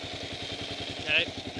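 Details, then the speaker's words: 2008 Kawasaki KLR 650 idling just after oil change with 20W-50 Kawasaki oil, noise from left side case, louder on that side; even thumping single-cylinder beat with a dry metallic whir like ball bearings, source unconfirmed. "okay i'm gonna try to uh start this thing so you can hear this noise again it sounds like ball bearings"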